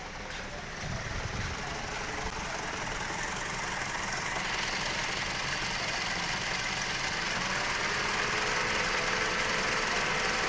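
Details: Engine at idle with a repeating uneven knock, roughly four beats a second, breaking the rhythm; one cylinder seems to be misfiring; engine misfire at idle.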